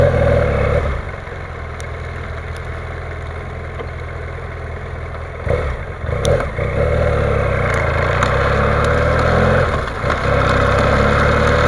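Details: BMW F800 GS motorcycle at steady idle with sharp, irregular knocks about every second above the engine note. The cause of the knock is unknown.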